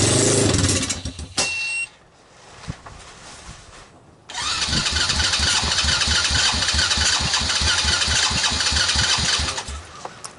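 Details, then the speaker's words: China ATV with a Kymco 125cc pit-bike engine on a portable ignition, cold start: it catches briefly, dies, then fires roughly about three per second, running only on starting fluid; the owner suspects a stuck carburetor float. "it sounds like the only firing on the starting fluid so i'm gonna have to pull the carburetor apart"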